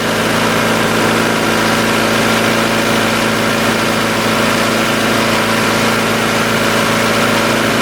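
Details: 1990 Honda CRX DX steady even idle around 1750 rpm, well above normal, no hunting; suspected vacuum leak, possibly at the brake booster, causing the high idle and bad gas mileage.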